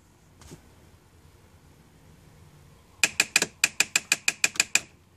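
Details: 2002 Mitsubishi Galant: a quick run of about a dozen sharp, dry clicks, roughly six or seven a second, in a quiet car; cause not stated.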